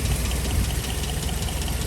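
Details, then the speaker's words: 1970/71 Land Rover Series IIA 88in, 2.25-litre 8:1 compression three-bearing petrol four-cylinder, carburettor, unleaded conversion, just started: steady, even low rumble with regular beat, no stumbles; normal healthy idle. "so it's running really really nicely it's also had an unleaded conversion"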